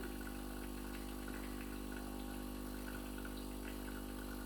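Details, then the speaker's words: De'Longhi EVO FEB2961/FEB2981 coffee machine with milk jug, descaling rinse phase, water flowing internally: steady low buzzing hum with even fast pulse, no knocks or rattles; normal pump operation. "donc là on entend la pompe et on voit pas d'eau couler ni par la médiateur ni par la buse de café c'est normal puisque ça coule à l'intérieur elle va rincer le circuit de surface vous inquiétez pas c'est normal"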